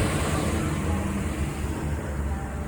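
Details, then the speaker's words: GM 5.3 V8 after repairing a stuck/collapsed lifter on cylinder 4 with the head removed, after startup, hood open: steady, even low idle with no ticking or misfires. Repair successful, normal idle. "Let's see, let's pop the hood. Running smooth. No toes, no misfires. So the issue has been fixed."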